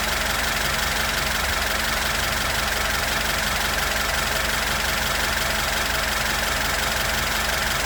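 Even, steady idle with a light, regular valvetrain tick and no misses or knocks; engine settles and runs smoothly.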